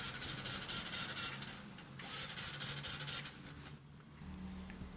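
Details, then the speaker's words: New Bajaj CT125 motorcycle that died mid-trip and won't start by electric start or kick: starter whirs fast and unevenly but the engine never catches, a no-start from lost compression, common on the CT125. "Tulad nung kalimitang nangyayari sa CT 125 ang nag-lose compression so kapagka los compression mga boss kahit anong gawin ninyo diyan ah Hindi yan naandar"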